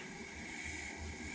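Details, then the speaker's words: 1992 Ford E250 van AC converted from R12 to R134a, just after the engine and compressor are shut off: a soft, steady hiss that sounds like a leak but is normal pressure equalizing between the high and low sides through the orifice tube. "sounds like it's leaking but it's not leaking it's the pressure equalizing between the high side and low side through the orifice tube"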